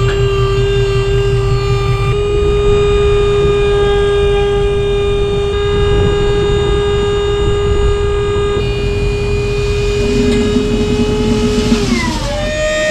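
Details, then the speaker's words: Dump trailer hydraulic pump visibly leaking fluid: steady high squeal over the pump drone holds under load, then drops and shifts as it unloads. Still works but sounds sick; cause unknown. "just doesn't sound right. Bleeding out. Alright, at least it worked, but it's still sounding sick."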